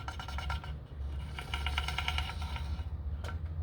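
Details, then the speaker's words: Chinese pit bike idling, before carburetor and throttle replacement: small single with a quick irregular ticking and scraping over the beat; loose drive chain rubbing on the bottom of the engine case. "The chain is rubbing down here on the bottom of the motor, so the chain's pretty loose. So I gotta address that."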